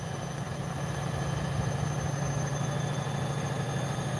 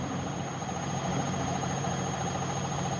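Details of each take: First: Bosch WAE24364GB washing machine after a new motor was fitted, on a live wash test at high spin, around 400 to over 500 rpm: steady low hum with a faint high whine, drum spinning smoothly and tripping nothing, a normal spin. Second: Bosch WAE24364GB washing machine after a new motor, spider arms checked with no play found: a steady low drone with a loose, uneven throb and heavy cabinet vibration during an unbalanced-load spin.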